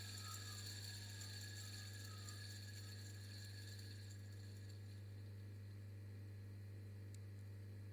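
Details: BMW X5 E70 fan motor tested after repair: steady, even hum at constant pitch with no knocking, scraping or grinding; fan motor running normally.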